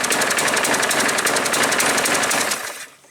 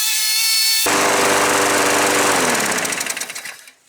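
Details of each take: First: Craftsman 6 3/4 platinum 21-inch push mower with bagger, automatic choke and no primer bulb; reported pouring black smoke, oil full, fresh gas. It chugs loud and uneven, then sags and dies; the automatic choke seems stuck on, flooding the engine and making it run rich. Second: Craftsman 6.75 Platinum 21-inch push mower that poured black smoke at startup, after the auto choke was repaired (plastic cleared from the thermostat arm, spring checked): the engine catches and runs at an even, fast chatter with no missing. It runs properly.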